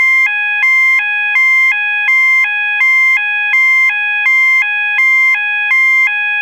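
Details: System Sensor MASS121575ADA sounder, 800/1000 Hz alternating high-low tone (clips A and C): steady two-note alarm flipping pitch about every third of a second, slower than the GOS high-low; working normally.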